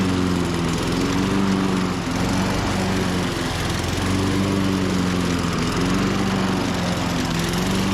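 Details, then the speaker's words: 1998 Ariens 21-inch mower (engine VLV60) after a carb change, the secondary carb having been suspected of fuel starvation: the pitch wavers and hunts without settling, then it stalls, sounding like spark cutout. Compression was 115-120, and lost spark pointed to the new coil. "that's not me shutting it off it just di sound like spark cutout this thing just won't quit giving [Music] issues man"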